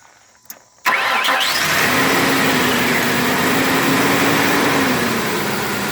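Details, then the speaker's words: 1998 Ford Ranger just after fuel pump replacement: brief crank, fires first try and settles into a steady even idle with slight throttle blip, no misses; normal start and idle. "give it just a little bit of gas all right let off listen to that [Music] first try"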